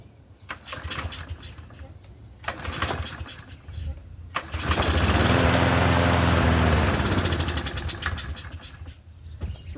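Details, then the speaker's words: Troy-Bilt push mower engine, free mower with a holed deck: a few cord pulls, then it catches and runs lazily at low speed before fading; low rpm because the governor spring is pulled back. "running low. Oh, the governor spring is pulled back."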